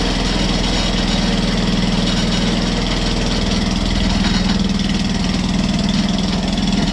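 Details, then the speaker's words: Atco Balmoral reel mower engine running steadily with a fast even chatter of about four beats a second; slack drive belt chattering on the pulleys. "as you can see that video there uh this is all all chattering okay which is no no no big drama but it will put people off if they go to buy it you know"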